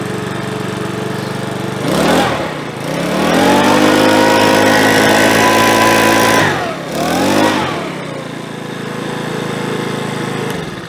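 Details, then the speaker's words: Makita BHX2500 four-stroke leaf blower after about 12 months stored, serviced with cleaned filters, started on choke: revs up crisply, holds an even high buzz, drops and picks up again cleanly; runs healthy. "that's beautiful sounds like a little mini bike so that started really well and I believe they're an easy starter all the time"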